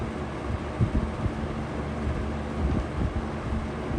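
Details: Vintage McGraw-Edison Comfort fan on low speed, drawing 1.25 amps and 89 watts: low steady motor hum with loose irregular rattles and thumps; something in the fan is rattling.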